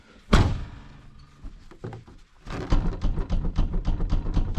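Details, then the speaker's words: 2006 Hyundai Getz TB track car: heavy thunk, then fast, loose clattering knocks from the rear hatch; tailgate rattle because the rubber bump stops are wound in too far, fixed by adjusting them. "we've had a real bad rattle noise at the back of this thing and i've pulled out all the inside of the the plastic shrouds and all that sort of stuff to try to get to the source of this plenty noise and i'll tell you what it's still making the noise"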